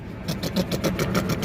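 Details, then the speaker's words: 2016 VW Saveiro Robusta at idle: uneven pulsing about seven times a second with loud and soft beats, engine rocking; rough idle, misfire suspected from spark plugs or plug wires, not confirmed. "Olha só o motor dela, o barulho que tá fazendo. Olha como ele tá balançando. O que é que vocês acham, meu amigo, que pode ser isso daí? Eu tô desconfiando de cabo de vela e vela."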